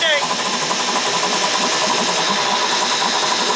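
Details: Two-stroke outboard motor in a test barrel after no-start repair, fuel shut off to run the carburetor dry: fast, busy buzzing, steady, even and unbroken; healthy running.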